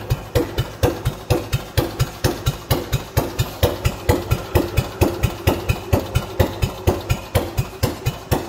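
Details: Old Clinton stationary engine, first start in 5 years, now powering a compressor; steady, even firing beats about two per second with a solid low thump and no knocks or rattles, running healthy.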